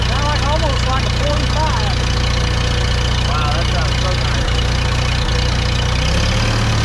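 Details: Allis-Chalmers D17 IV tractor with a replaced manifold, muffler just tightened, idles low and even with a clean regular exhaust beat and no knocks or rattles, way better than before; engine running smoothly, sounds healthy.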